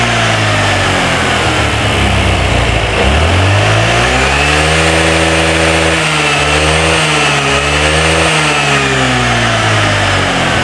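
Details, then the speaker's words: Older Honda Vario scooter on a test ride: stable at idle, but at part, mid throttle the revs stumble and dip every second or so; intermittent misfire, sometimes running smoothly and sometimes cutting out. "di busi ini kondisi stasioner aman Sentosa Ya teman-teman normal tapi di saat sudah saya gas pertengahan tanggung itu sudah mulai ya"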